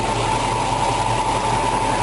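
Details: 1965 Ford Mustang GT, 289 V8, 4-barrel carburetor, 4-speed, timing set at 6 degrees: smooth even idle with steady beat, no misses, knocks or hunting; timing right where it should be.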